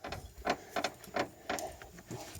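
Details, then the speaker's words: 2007 Dodge Caravan after hitting a pothole, in a very cold garage, suspension shaken by hand: a dry rubbery creak about three times a second. This matches the creak/pop heard over bumps, identified as worn sway bar bushings. "Okay, so this is the actual sound that I'm hearing when we're going over bumps."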